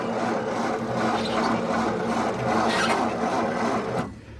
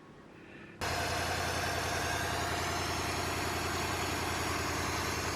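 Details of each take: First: 1953 Ford Victoria flathead V8, 6-volt system, not run for years: turns over slowly with a dragging, rasping churn about three beats a second, then stops; owner suspects worn, high-resistance battery cables. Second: 1953 Ford Victoria flathead V8, rebuilt and long unused, start after refitting 6-volt coil and 6-volt battery; brief run with no radiator water and slight blow-by; steady even low rumble, no knocks or misses: normal idle.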